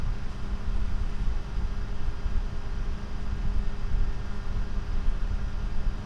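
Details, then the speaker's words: GVM PR 150R LED monolight's factory 12 V two-wire computer-style fan (0.10 A), recorded above baseline: constant airy rush and low hum at fixed full speed, no control from the panel; too loud for set use. "Okay, so let's fire up this factory fan, which is just a 12 volt computer style fan."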